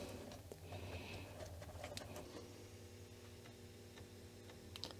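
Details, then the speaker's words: Commodore 1541-family floppy drive after adjusting the screw holding the head's metal band, since the motor couldn't drag the head back far enough; light scattered head-stepping ticks over low motor hum, no grinding; now passes 100%, normal. "yes okay now it worked nice past very nice okay so now this uh disk drive is uh performing 100"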